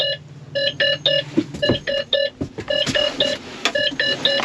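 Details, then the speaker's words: Tractor cab with short high-pitched beeps in groups of three repeating about once a second; the display reports a configuration error and says to contact service. Configuration error warning beeps. "there's something beeping inside there did you guys hear that that can't be good beep beep beep hold on dude what is that"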